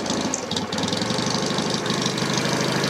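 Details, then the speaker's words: 1963 BSA Rocket Gold Star in touring trim, started on one kick after tickling the carburettor with no choke, ignition advanced: quick, busy, even firing at a raised fast idle with light valve clatter on top, a sweet engine running cleanly. "one good kick very sweet engine there we've just now Advanced it up"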